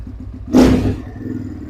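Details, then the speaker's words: Trailmaster TM31, about 223cc single (claimed 250cc), cold engine on choke: lumpy uneven idle with one loud backfire bang, then ragged idle; owner thinks tuning the carb could mitigate it and says it runs better once warm. "it's definitely going ni she gr shot up but it's not uh I could probably tone the car up a little bit better to mitigate this problem"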